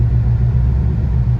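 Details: LS3/L99 Chevrolet Camaro that had a rod-like knock, heard after it died and was restarted: a deep, steady V8 rumble with an even beat at idle and when revving, with no knock; the knock is gone.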